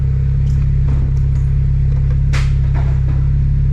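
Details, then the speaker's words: Nissan 240sx with boost, warm idle after the owner suspects a failed mass airflow sensor was the fault: even, settled low rumble with a steady firing beat and no hunting or misses; AFR about 14.9–15, normal idle. "it's idling a lot better it sounds more familiar than it usually has and look at that beautiful afr at idle"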